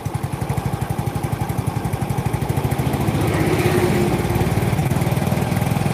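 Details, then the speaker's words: Yamaha Mio J scooter, runs fine cold but when hot: stumbles and runs uneven as throttle opens, revs climb sluggishly then sag, worse under load, fine at high rpm; scanner shows injector, ISC, TPS normal, coil and ECU swapped without change. "jadi motor ini kalau kondisi dingin itu enak tapi kalau udah panas kumat agak brebet di awal Terus kalau di gas malah Mendem di gas mendem"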